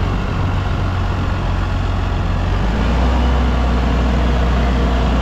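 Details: Massey Ferguson 6480 tractor diesel, idle two years, starting after injector pump that fell off was refitted and fuel system work: deep clatter picks up, firms and settles into an even run.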